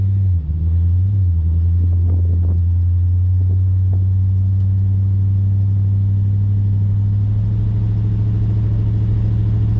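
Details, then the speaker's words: 1956 Dodge before sound deadening, driving: a steady, heavy low droning rumble fills the cabin, loud enough to drown out everything else, with no knock; road and body noise coming through. "You can hear it. I don't know how well it shows up on camera. I hope you can hear it actually, because I can hear it quite a lot. I can't hear anything else."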